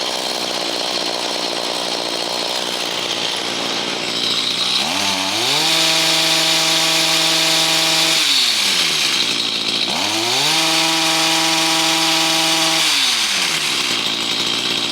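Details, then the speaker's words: Stihl HS45 hedge trimmer two-stroke with a replacement HIPA carburetor kit, at about 90°F, with the low-speed screw opened slightly. It holds a steady high idle, then makes two clean climbs to full revs and drops back, running normally. "But yeah, it runs good now. It's starting right up, and we had good throttle response after about a good minute,"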